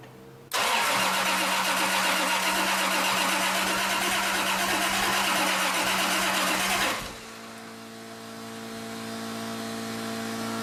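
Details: Toyota 2JZ engine on E85 cranks for about six seconds of steady starter whir but never catches into a firm idle, then stops; a helper suggests cranking while the fuel pump primes and using wide-open throttle until it fires. Crank no-start, cause unconfirmed.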